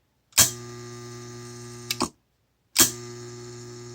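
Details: Hydrolevel VXT programmable steam boiler water feeder, Robertshaw 120 V solenoid coil fed via the feed button: a sharp click as the coil pulls in, a low, quiet, steady hum, a click off, then again; no buzz or chatter; normal operation.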